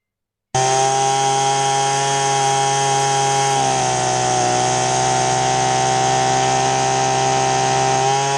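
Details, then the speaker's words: Husqvarna 525LS string trimmer after carb tuning, high speed set slightly rich: a crisp steady high buzz drops smoothly and climbs back with no stumble, giving good throttle response and a clean idle. "Now notice how the throttle response is really nice, and when the engine settles down to idle, it's not stumbling, it's not too rich."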